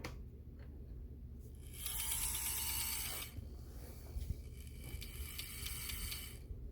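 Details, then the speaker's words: On30 Bachmann Pocahontas Lumber rail truck, listed as not running: the small motor whirs under power with a harsh ratcheting buzz and no smooth drive; three cracked gears were later found in the drive system. Finding: stripped drive gears. "Well, it was listed as not running. Sounds like we got a gear issue here."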